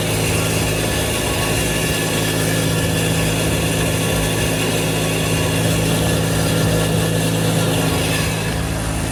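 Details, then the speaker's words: An Integra, running just after a Yonaka motor mount install on a cold day, has a rough, rapid puffing rasp over its exhaust note. A missing exhaust gasket at one joint is suspected, not confirmed. "So, I don't think that's my actual exhaust making that noise. I think that's the uh the uh the spot where I forgot to put a uh a exhaust gasket at."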